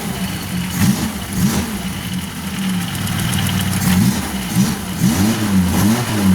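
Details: Suzuki Carry 1.0 small petrol engine after points ignition converted to a Karimun box CDI: steady idle then several blips, revs climb and drop cleanly with no misfire or stumble.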